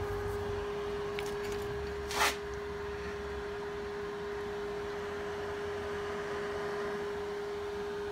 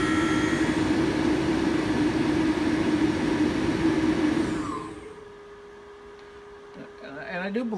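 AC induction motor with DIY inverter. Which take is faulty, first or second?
first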